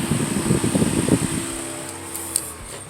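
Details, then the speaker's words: 1997 Toyota Camry LE 2.2L 4-cyl, overheating concern: radiator fan roar runs about 1.5 seconds then cuts out abruptly, returning when the relay is touched; intermittent fan from faulty relay or socket, relay suspected. "So there's something wrong with that relay or the socket that it's in. You see now, the fan's off again. Listen carefully. Touch that relay. Now it's back on."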